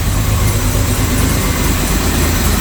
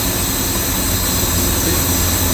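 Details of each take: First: Jaguar Series 1 XJ6, first start after 21 years, oil pressure up: deep, loud idle with a slightly uneven low throb; twin carburettors need balancing and mixture tweaking, vacuum leaks suspected; rough idle, carburettors out of tune. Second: Series 1 Jaguar XJ6 started after 21 years unused, vacuum leaks from holed hoses, points not yet serviced, after about 15 minutes running: steady, even idle hum with no knocks, ticks or whines – normal idle.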